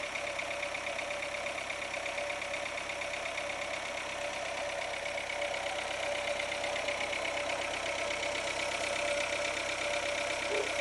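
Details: Renault Logan 1.6 8-valve 2007 engine, steady light ticking knock about three per second over a fairly high-pitched engine drone; driven about 20,000 km with the knock, cause unknown.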